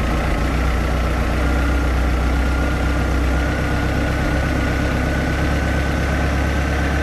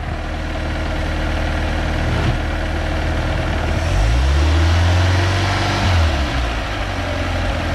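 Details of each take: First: 3.0 liter MerCruiser 140 boat engine with new Sierra carburetor during mixture adjustment: deep, fairly steady but slightly lumpy idle that is beginning to smooth out. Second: MerCruiser 3.0 L 140 boat engine after fitting a new Sierra carburetor and fine-tuning: steady idle, quick throttle blip rises and falls cleanly, then settles back evenly, smoothed out; healthy throttle response.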